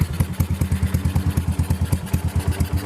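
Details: Yamaha SR400 brought in because the owner found the engine loud: quick metallic tapping of about six or seven clicks a second over the single-cylinder idle; a valve rocker was found moving side to side when it shouldn't. Valve rocker arm clatter.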